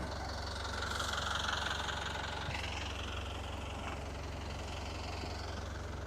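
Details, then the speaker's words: Cold boat diesel, unrun for a while, idling before going into gear, with the prop clear, water coming out of the exhaust and no smoke: steady, even clatter at about three beats a second, no misses or knocks. Normal idle. "Okay, the prop is clear, and water's coming out of exhaust just like it should, and I don't see any smoke at all."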